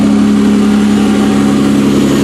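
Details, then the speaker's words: 1992–1996 Toyota Camry V6 engine running on a newly built standalone harness with no key, terminals tightened, air intake fitted, in drive; smooth, steady low hum with no ticks, knocks or hunting. Sounds really healthy: normal idle. "I'm pretty happy with that. That thing sounds really healthy. That thing sounds really healthy."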